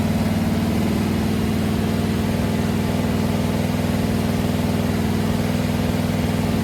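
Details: Freshly built 500 stroker big-block Mopar on first start, timing advanced after a carburetor backfire; oil pressure about 80-85, some smoke seen: strong even idle lope about four pulses a second, no misfires or backfires; running healthy.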